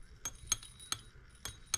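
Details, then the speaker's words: Stuart 7A steam engine partly disassembled, cylinder and valve chest removed: light metallic clicks, about five in two seconds, as the rod is rocked by hand. Connecting rod slapping back and forth, no binding; misalignment suspected. "that clicking you here well that's our connector Rod slapping back and forth but we don't have any binding down here"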